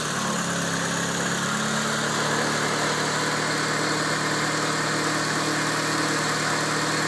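Starter keeps spinning the engine with an even whirring drone and a loose, irregular chug, but it never catches and runs on its own.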